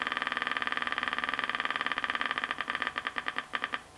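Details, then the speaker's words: 1964 GE P807J transistor radio with reed-type speaker, bench-powered via isolation transformer: rapid putt-putt motorboating from the speaker at about 3 V drawing 10–30 mA, slowing and breaking up; capacitor or broken trace suspected, not confirmed. "okay it's on put the voltage up slow we're getting motorboating we're at three volts removing 10 milliamps"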